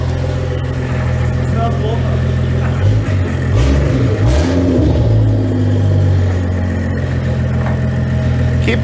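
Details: Freshly refreshed N55 engine in a 2011 BMW E90 335xi with upgraded turbo and 8HP45 transmission, first start: steady even low idle hum, no ticking or knock; water and oil temps rising, fuel and AFR good; normal idle.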